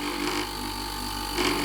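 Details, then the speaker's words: Whirlpool 8 kg heat-pump dryer, compressor running: steady hum with a raspy buzzing rattle from a refrigerant tube vibrating and rubbing against a neighbouring part; fixed by moving the tube slightly away. "Ok Now I have removed the noise in practice this tube with the vibration rubbed on this and therefore there was noise so it was enough to move it away just a little"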